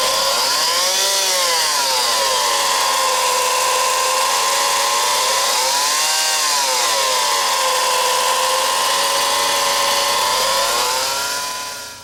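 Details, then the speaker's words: 2004 Honda Civic LX 1.7L, front of engine: steady high whirring whine wavering slightly in pitch while running; alternator front bearing believed shot, though power steering pump also suspected (no belt tensioner fitted). Alternator being replaced. "noise that it's creating pretty sure the front bearing on it is shot"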